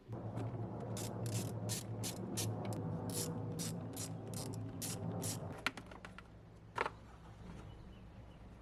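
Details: 1998 BMW E39 520i single VANOS, previously running very rough, cranking in an even rhythm about three and a half beats a second for five seconds without firing; crank no start, fuel pressure then measured 54 psi.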